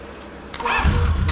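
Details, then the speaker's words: 1983 Honda CB750 Nighthawk motorcycle, sat over 10 years, first start after finding an unplugged ignition connector; starter whirs briefly, engine catches and settles into steady even idle on all four carbs; healthy start. "it's idling all four carbs are working smells great like success in here"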